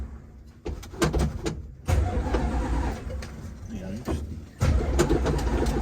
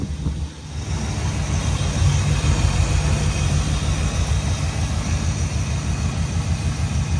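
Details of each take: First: Dodge Dart V8 after long lay-up, fuel lines and filters replaced: starter cranks it in uneven bursts but it never catches. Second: Dodge Dart V8 after long storage, ignition module rewiring corrected and all 8 cylinders firing: deep even idle rumble, steady on all cylinders, no misfire or knock; healthy idle, though the transmission is stuck in gear.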